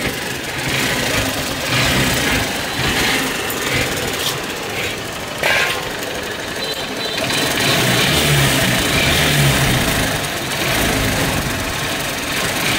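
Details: Hero Honda CBZ Xtreme, before repair. Irregular metallic clatter and rattle over a rough single-cylinder idle, bright and loose-sounding; on teardown the tensioner nut and ball were found fallen off, indicating cam chain rattle.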